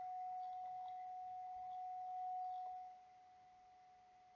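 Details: MCHF transceiver transmitting upper sideband at about 2.5 W, monitored on an ICOM receiver set to lower sideband during TX IQ balance calibration: a steady pure whistle on the wrong sideband drops away once adjusted; unwanted sideband from IQ imbalance.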